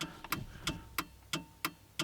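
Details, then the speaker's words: Nissan Micra K11 in a very cold garage, ignition on with no fuel pump, blower or rear demister working and instrument cluster removed: crisp even hazard relay clicks about three per second, the hazard flasher working normally. "i can't actually tell they're on there apart from because of the noise because the instrument cluster isn't there"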